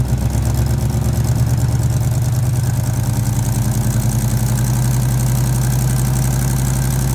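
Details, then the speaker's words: 1989 Chevy C1500 V8 with headers, cats deleted and Flowmaster 40s: rapid even puffing tick on a deep idle, firing in step with the engine; exhaust leak at both header collectors, the right worse, at the three-bolt flanges. "in fact there's more coming coming over here on the right collector both collectors are leaking"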